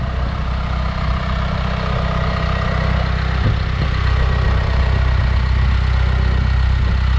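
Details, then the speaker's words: 2019 Isuzu FTR box truck with 26 ft Morgan aluminum box, cab tilted forward, engine started for walk-around: deep, steady diesel rumble with even clatter, no misses or knocks; normal idle. "we're going to start the engine, and we'll go around the truck real quick so that you can hear it in action."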